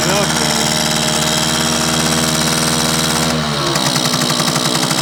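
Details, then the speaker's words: Circa 1965–67 Yamaha YJ2 (Campus/Riverside 60) 60cc two-stroke, started in neutral, mic right up close: fast crackling, slightly burbly idle, even and tight with no ringing, loaded with oil; rich idle. "microphone right up this to it I don't hear any ringy dingy but pretty tight I think pretty well loaded"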